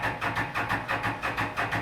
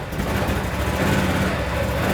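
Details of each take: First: 2016 Can-Am Defender HD10 XT 60-degree V-twin, 1035 miles, sat abandoned about five years: steady cranking, about six even compression pulses a second, never catches; suspected fuel, later found stuck injectors; crank no start. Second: 2016 Can-Am Defender HD10 XT, abandoned about five years, first start with fuel injectors suspected stuck, in park: steady low even thump, no stumbling or misses; normal idle.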